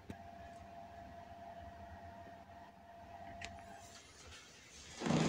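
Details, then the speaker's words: PS4 Slim sitting at the home menu, recorded in 2022: a soft, even fan whir with a faint steady hum and no rattle or surging. Normal fan noise. "Obviamente se ve oscuro porque no me deja activar el flash cuando estoy grabando, pero bueno, es para que vean cómo suena la consola cuando está en el menú de inicio."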